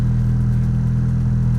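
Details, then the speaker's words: 2000 Honda Civic EX coupe, 5-speed, VTEC D16Y8, turbo build with chipped ECU, after fitting a Sparkks Racing 3-bar MAP sensor: warming up, idle rising slightly, smooth even low hum with steady pitch and no stumbles; normal idle. "So I haven't driven down the road yet, but it's just been sitting here idling, and it's kind of idled up a little bit, warming up, but it seems to be running really good."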